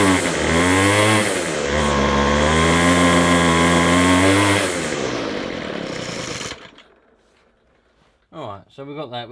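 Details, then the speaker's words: McCulloch 250C XL X-series two-stroke strimmer; it draws fuel poorly, and a carburettor diaphragm is suspected. It buzzes high and uneven while revved, then dies as the throttle drops with a brief sputter, with no tick-over. "We've got no tick over though. So I don't know why we've got no tick over."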